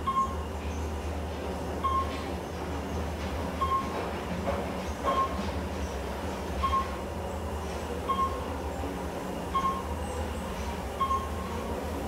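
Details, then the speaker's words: Otis Elevonic 411 traction elevator, installed 2005, 3500 lb, about 350-400 FPM, riding in car: low steady rumble with a sharp click about every 1.5 s; noisy hoistway during travel, cause not yet found, though elevator runs surprisingly well. "Noisy. This one runs surprisingly well. I'm shocked."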